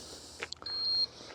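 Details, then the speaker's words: MODIWELL LE-310 dry-flush toilet powering on: a couple of short chirps, then a steady half-second high beep; normal, display showing 100% battery. "All right, the power's on and it's showing us 100% battery life."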